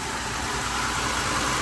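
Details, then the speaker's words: 2008 Ford Escape 3.0 L V6 that was burning oil, idling after PCV valve replacement: steady, even, quiet idle hum at good RPMs, no misses, knocks or hissing; sounds a lot better. Normal idle. "yeah sounds a lot better what you idling at listen to that now that's how quiet is now good good good good got good RPMs yep we're good RPMs there yes that does sound a lot better there"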